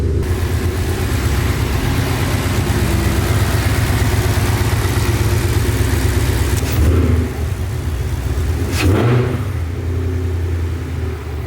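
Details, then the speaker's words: 2020 Ford Mustang GT V8 with ported intake manifold, longtube headers and cold air intake, idling just after a new tune meant to cure a bog at WOT: smooth, deep, steady lumpy idle with no ticks or knocks; clean and stable. "Alright, idle is amazing. That's a good sign."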